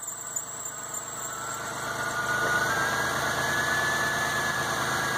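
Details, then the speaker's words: 1997 Ford F150 4.2L after synchronizer and sensor replacement, first start: thin high squeal from the belt over a steady idle, with some steam; antifreeze spilled on the engine, squeal clears once it burns off. "Sometimes it doesn't want to drive right, the fan, the belt, everything squeaks up front, and there's a little bit of steam coming off. It did spill a little bit of antifreeze on the engine, but that's to be expected."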